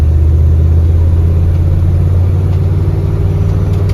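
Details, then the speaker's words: 1979 Ford F150 on test drive after carrier bearing replacement, light acceleration: steady low engine and road rumble, no squeal, whine or grinding from underneath. "so far I'm not hearing any noises I'm going to get on it just a little"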